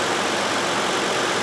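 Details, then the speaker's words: 2011 Toyota Sienna 3.5L just after cooling fan replacement, engine idling with AC on: smooth, steady rush of air with no wobble, rattle or rubbing; new radiator fans running healthy. "hey those fans are running that's a good thing not wobbling all over the"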